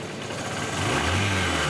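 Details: 125 cc motorcycle single after engine noise repair and fresh engine oil, revving smoothly with a steady, even beat and no clear tappet clatter; valvetrain quiet and healthy, normal running.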